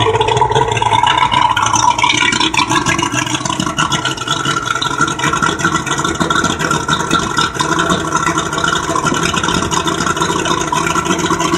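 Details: 200 hp Mariner outboard, first start after carburetor rebuild: runs continuously, drone rising and falling with throttle, no knocks or misses standing out over rough background; normal running.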